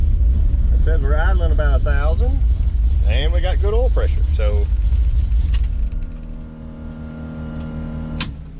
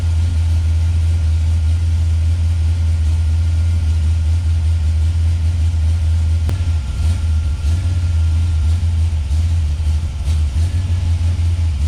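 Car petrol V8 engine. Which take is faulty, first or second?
second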